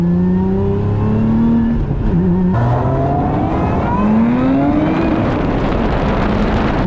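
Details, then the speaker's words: Lotus Emira under hard acceleration: engine note climbs smoothly and strongly with a light whine on top, and power delivery feels instant, pushing the driver back in the seat; normal, healthy acceleration. "When you put your foot down, it sends you to the back of your seat still. I mean, in a way, it feels like the power delivery is very instant."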